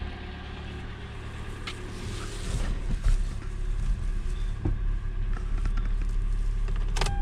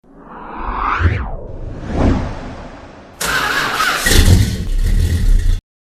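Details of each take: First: Car warming up after it started once the fuel pump was touched, suspected intermittent fuel pump: low, steady idle with even rhythm and a few handling clicks; runs fine, pump replacement deferred. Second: Car cranking on the starter: whirs up unevenly and drops out, then rough grinding crank half the time, engine never catches; mechanic suspects starter or a bad spot on the flywheel, unsure.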